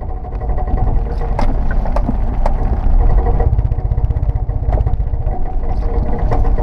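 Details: Car climbing a steep hill slowly under high load with the front suspension drooped: a heavy low rumble with sharp clunks every second or so that shake the car and follow rotation; a driveline clunk not heard in everyday driving, cause unknown.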